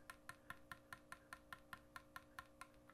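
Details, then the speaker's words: Oboe F resonance side key adjusted too loose: rapid, crisp clicks, about five a second, when fingering D and tapping the key; it leaks and fails to seal on low notes, and is fixed by tightening until the clicking stops. "that's not good that means that this is not sealing at all we want to tighten it to where the clicking goes away"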